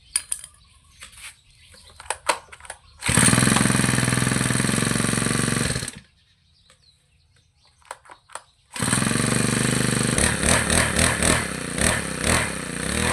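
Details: Lawn trimmer after carburetor cleaning and tuning: two clean runs with a quiet pause between them, revving freely with a crisp, even buzz and no stumbling; running healthy.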